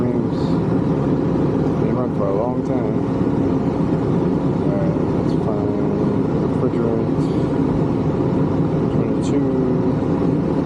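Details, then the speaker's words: Condenser of a 1986 Rheem AC (about 37 years old) that was barely blowing air, running after a fan motor change (about 1.2 A) to dry soaked coils: steady fan rush, smooth compressor hum, no knocks or rattles; normal operation. "let's let it run here for a little bit and dry out because the coils are soaked check back here in a couple minutes and see how it looks"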